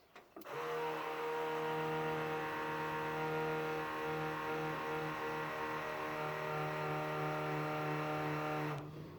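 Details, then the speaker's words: 1974 Ford F-100, parked since 2019: electric fuel pump powered by touching the battery terminal gives a steady, even buzz for about eight seconds; pump priming normally, float filling, pressure holding. "now we should be able to touch our battery terminal and our fuel pump will turn on oh and she's loud there she go we got fuel I can hear it and the carburetor there"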